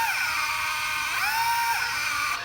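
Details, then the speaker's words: DJI Phantom 2 drone on the bench, crashed when steered in one direction; on motor start one motor runs erratically, jams and crunches, high whine wavering and dipping sharply: faulty motor/electronic speed controller, to be replaced. "You can actually hear the motor is going erratically. And look here, see this motor is jamming. It jams, so that would definitely cause a crash."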